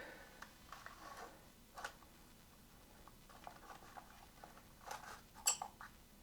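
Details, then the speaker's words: Used Sony EV-C100 Hi-8 video player bought as broken, first power-up: faint ticks and light clicks as the head drum spins up, then nothing else engages; transport stalls. "okay the playhead started you see that look at that it absolutely did start how however um um nothing else happens but it did it did"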